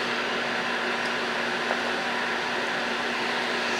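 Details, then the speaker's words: HVAC training board indoor fan running with thermostat calling for cooling, zero volts across R-Y and R-G: steady airy rush with constant low hum, no ticking or scraping; blower runs normally. "of course we hear the fan running but that should also have zero volts because now our circuit is closed as well"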